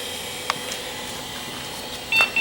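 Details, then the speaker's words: Acer 900 286 vintage computer at power-on self-test: two short high beeps over room hum, still flagging an equipment configuration error after the CGA 80-column video setting; setup must be run again. POST beep with equipment configuration error. "we still have the equipment configuration error so we'll have to hit Control Alt Escape go back into setup"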